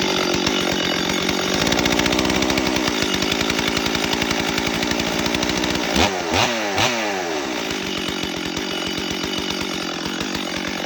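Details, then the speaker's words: Stihl MS 440 chainsaw after intake boot replacement, started on high idle and choke: runs high and buzzy with fast firing and brief rev; chain keeps spinning when it should stop at idle. "Alright, so as you saw, when I started it up and ran it, the chain was spinning"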